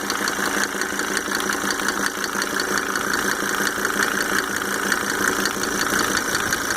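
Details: Mercedes 300D W124 2.5-liter diesel, just fitted with five newly rebuilt injectors with Monarch nozzles: a light, sharp tick repeats regularly over the steady idle clatter, keeping time with the engine; source undetermined.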